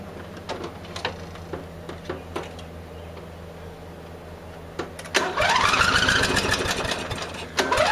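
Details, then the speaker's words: Murray riding mower, first start of the year after a large mouse nest was cleared from the engine, at lowered throttle: it catches, revs up, then sags and picks up again in an uneven hunting surge; owner suspects the unchanged fuel filter. "to lower the throttle, and you can hear it surging like."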